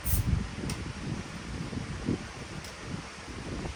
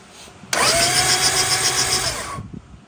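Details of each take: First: 1975 Honda Civic CVCC: very soft, even low idle murmur with no knocks or ticks, described as super quiet, like a new motor; normal healthy idle. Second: 1975 Honda Civic CVCC: two-second starter whirr with uneven chop, crank turning freely but not catching; alternator suspected seized, belt to be removed; cranking, no start.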